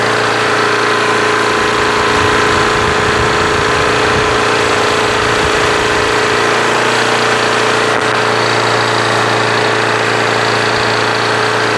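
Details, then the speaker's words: Craftsman push mower with Quantum engine after winter storage, primed and started. Steady, even hum with no surging or hunting; governor holding correct speed. "that sounds great now but that's how the engine's supposed to sound like that sounds fantastic yeah that and dissension sounds great rpms why"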